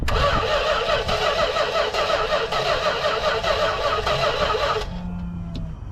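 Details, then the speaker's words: 1976 Dodge D100 short bed with a factory 400 big block and inoperative gas pedal: fast rhythmic cranking about three beats a second that stops abruptly. The engine cranked unexpectedly when wires were moved; anti-theft or wiring suspected, cause uncertain. "the hell was that noise it would be these two right there I don't know if that's an anti-theft something happened I move these wires and something happened"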